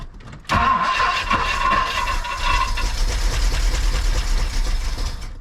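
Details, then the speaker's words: 1964 Mercury 390 FE big-block V8 started after a head gasket replacement: the starter catches and it settles into an uneven, loping idle with a stumbling beat. The engine runs rough with a misfire on one or more cylinders. "oh oh I don't necessarily like that it sounds like he's missing I'm going to cut it"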